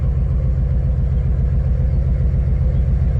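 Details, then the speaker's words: 2006 Nissan 350Z at a lumpy, shaking idle during a cylinder test: killing cylinders 4, 5 and 6 gives no rpm drop, so they are not working. Cylinder 5 coil was found unplugged and the 4 and 6 coil connectors swapped. "Okay este tampoco está trabajando salir 4 y C no no contribuyen"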